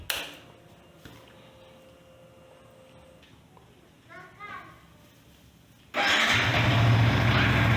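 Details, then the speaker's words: Yamaha Vixion R single-cylinder started after an oil change to check for leaks: after a quiet lead-in it fires and holds an even, steady idle with no misses or knocking; no leaks found and the oil level is sufficient. "Setelah itu, langkah selanjutnya adalah kita akan mengecek apakah ada kebocoran. Pertama kita hidupkan dulu mesinnya."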